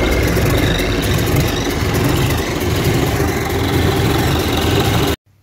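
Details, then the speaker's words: Gardner diesel engine in shipping frame, after adjusting timing chain tension: deep steady idle with even beat, the earlier timing-case chain rattle now gone. "you should uh gather that the rattle that was there before is now gone"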